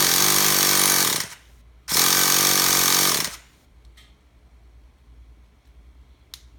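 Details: Traxxas T-Maxx 3.3 nitro RC engine that won't start: two buzzy bursts of cranking about a second each, then silence with no firing or catch; spins but doesn't start.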